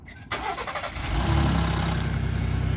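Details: Ford F-150 Raptor 3.5L EcoBoost V6 remote cold start on a cold morning after recall cam phaser replacement; brief harsh metallic clatter from the engine front, which the owner calls a wastegate rattle, before it settles to idle with no cam phaser rattle.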